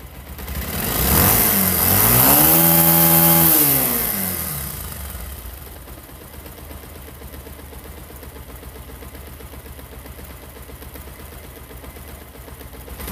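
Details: Pulsar motorcycle engine after fixing a timing chain noise: one smooth blip up and down, then a quiet even idle with no chain rattle or ticking; engine sounds normal.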